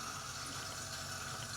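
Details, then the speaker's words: 2015 AEG Favorit Electrolux dishwasher showing i30 leak-protection code: water on the base plate raised the float, so the drain pump runs with steady watery hum, stops, then restarts, amid triple beeps: drain pump running in leak-protection mode. "Nou, dit is het dus, de pomp die hoor je nu. En over een tijdje stopt die pomp weer en dan begint hij weer."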